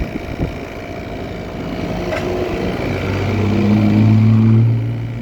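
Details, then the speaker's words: 2021 Trane XR14 3-ton heat pump running in heat mode, frozen up, at 33°F and 85% humidity: a low droning hum swells with uneven tones. The compressor sounds rough; cause unknown. "all right here we have a train XR heat pump that replaced a 2011 three-ton Goodman and it is frozen up and sounds like crap 2021 three ton that does not sound good at all"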